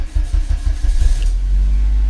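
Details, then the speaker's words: VW Passat B3 first start after restoring the ignition switch contact group, steering column not yet refitted: brief crank, catches in about a second and settles to steady idle; everything works. "отпускаем ключ. И все сработало, все работает."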